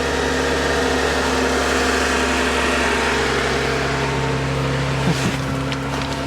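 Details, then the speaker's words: 2017 Porsche 911 with light accident damage, started on a jump pack: engine catches and settles into a smooth, steady idle with an even low hum, no knocks or misses; normal idle. "Wow, she runs nice."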